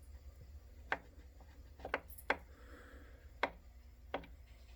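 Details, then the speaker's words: Concept 2 rowing machine, flipped back upright after oiling: five or six sharp, uneven clicks about once a second, a stuttering knock seen in the chain on the pull; louder upright than upside down, fades at faster pulls, cause not pinpointed. "See how there's like a stutter? You can see it in the movement of the chain when it's pulled on. I just don't ever remember starting the pull and it being noisy like this."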